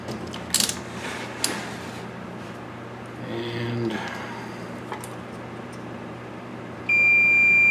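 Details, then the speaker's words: K7000 25-inch arcade monitor chassis (older version, blue four-leg C36): powering on, it zaps and arcs; a steady continuity tone shows a dead short in the horizontal output stage, HOT or C36 shorted. "turn it on and it just zaps i can turn it off immediately and it's not going to damage any components immediately it will if you leave it on and let it arc for 30 seconds it'll destroy something"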